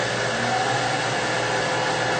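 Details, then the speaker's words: Mathis Labcoater LTE-S coating machine: even rushing airflow with a steady low hum, no rattle or wavering, as the interlocked fan and exhaust blower run normally. "And you can hear now the fan blowing and the exhaust blowing."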